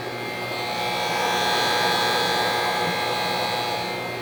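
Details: GE Spacemaker JVM1752 microwave, about a year old, makes a horrible loud electrical buzz over fan hiss; fixed by replacing both transformer and magnetron, owner pretty sure the transformer failed.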